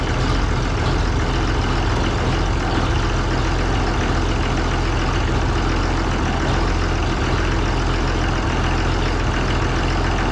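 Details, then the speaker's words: Oliver 1800 diesel tractor in cold weather, just restarted after its Stanadyne (Roosa-Master) injection pump was repaired and refitted: steady, even low idle with no misses or knocks, burning clean while air is purged from the fuel system. "run for a little bit. Burning clean, especially for as cold as it is."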